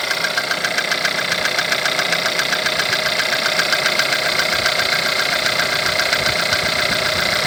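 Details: 1.4 TSI at idle, over 170,000 km, timing chain recently changed, no oil consumption: a sharp, even tapping about 2.5 times per second over the idle, and the source of the knock is unidentified.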